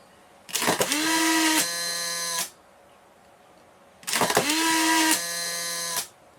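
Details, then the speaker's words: Two Polaroid SX-70 cameras ejecting a single shot from an empty pack, one with the 20,000 RPM replacement motor; two short whirs, each rising quickly to a steady tone for about two seconds, the slower one taking nearly twice as long, clean ejection. "so the one on the left here takes I don't think quite twice as long but nearly twice as long to eject"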